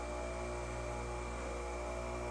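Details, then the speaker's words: Bench grinder with deliberately added unbalance, baseline run with no trial mass, accelerometer on Falcon data collector: steady hum with strong low drone at running speed, no knocks; 1x amplitude .851 in/sec, rotor out of balance. "Ooh. Dang. .851 All right. So, my one times amplitude is . 8 5 1 units, inches per second."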